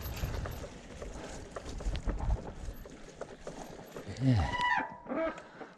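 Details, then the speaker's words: Rear brake on a bicycle squealing despite new brake pads; rough rolling noise, then a brief wavering squeal as the brake drags. Cause unknown to the owner. "that back brake you can hear. Well, I don't know what's up with it. I put new brake pads in."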